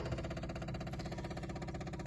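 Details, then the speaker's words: Rootes 1725 engine with twin Stromberg carbs, electric fuel pump reconnected after fixing a leaking float needle seat: fast, steady ticking buzz as it primes normally; the pump's tone changes where it vibrates against the side, and the clamp is being tightened. "You can hear the tone of the fuel pump change. It's vibrating touching the side. I'm going to tighten that clamp up."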